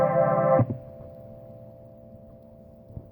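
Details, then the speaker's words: Korg EK-50 L keyboard with sustain pedal on, switching from set list button 1 to 2: the chord sound stops dead at half a second, leaving a thin steady ringing tone. The voice cuts out on switching. "when i go from the number one set last and i want to go into the number two set list by just pressing the key it cuts out and has kind of a weird sound"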